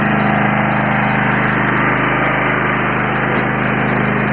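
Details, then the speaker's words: Free Yard Machines 20 hp riding mower, 42-inch deck, starter previously wouldn't engage from key switch. Steady even fast idle with smooth throb, no knocks; running healthy. "I'm going to pull on the cable and I'm going to see if the starter turns well that's a good sign I like that"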